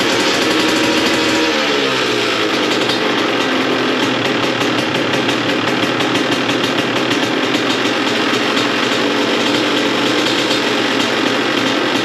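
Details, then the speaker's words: 2002 CR125 two-stroke after port work and carb rejetting, started without choke and idle raised: settles from a fast idle into a steady, crisp crackling idle, clean and even with no misfire; normal idle, now running great. "oh she is running great now"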